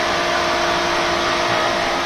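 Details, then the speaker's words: Pentair Intelliflo 2 VST pool pump after repair: smooth constant hum with steady whir, no knocking, scraping or rattle; normal running. "finally got this thing running I'm going to leave it running overnight pump is running and we got it all fixed and I didn't have to buy a new pump"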